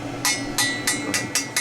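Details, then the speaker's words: New expansion tank on an indirect water heater, replaced because excess pressure made the relief valve discharge: seven crisp ringing taps, hollow and bright on the air side, so the bladder holds its air charge. "Now you can hear and that's where the water's going to expand to. The bladder, it pushes down."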